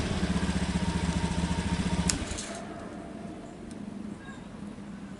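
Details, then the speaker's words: Honda Beat FI ESF 2019 scooter with the newly installed remote alarm (pink wire jumpered to the pulser wire), started with the remote: small engine thrums at an even quick idle, then shuts off about two seconds in, with no knocking or misfire; normal idle. "sekarang kita hidupkan pakai remote. Oke, motornya udah nyala."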